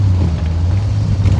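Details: 1969/70 Triumph TR6 barn find, first drive home: deep low six-cylinder throb that wavers and stumbles instead of an even beat; rough idle, idle set a bit low, owner thinks it just needs driving.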